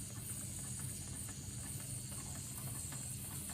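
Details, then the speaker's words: Wilesco model stationary steam engine, last run about 1983, freshly oiled and running again for the first time in 30-40 years: steady steam hiss with soft, even exhaust puffs about three to four a second; running smoothly and healthily. "Bursts into life. Hey. Left. Still puffing away there nicely, isn't it?"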